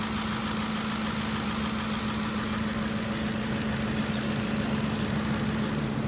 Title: Ford 5.4L 3V V8 Engine Ticking Sound (Lifters?)